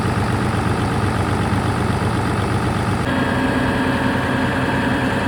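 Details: Caterpillar 3412 V12 diesel genset, sat for several years: deep, steady diesel rumble with an even beat and no knocks or misses; normal idle.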